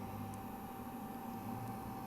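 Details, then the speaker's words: Hartke KB12 bass amp, internal cooling fan kicking in after 10-15 minutes on, phone mic near the amp: steady, even hiss of rushing air with a faint constant whine and no rhythm; fan noise loud enough to spoil mic recording. "is the fun and the fun is working after 10-15 minutes being on so huge"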